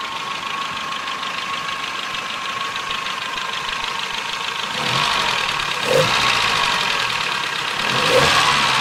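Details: 1984 Nissan N12 1.5GL after carburetor repair, new vacuum advance hose and spark plugs, short drive: light, fast ticking over the engine that rises with revs; valves need adjustment.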